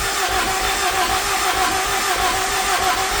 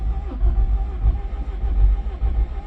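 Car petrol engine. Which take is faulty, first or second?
second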